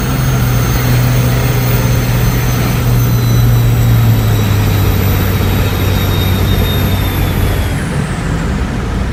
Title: Cummins hx35 turbo whine